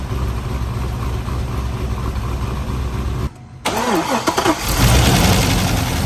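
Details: C5 Corvette LS1 first start after 243 LS6 heads and Track Weapon cam install: cranks, catches, then runs with a fast, loose valvetrain clatter at idle; pushrods too short, leaving excess valve lash.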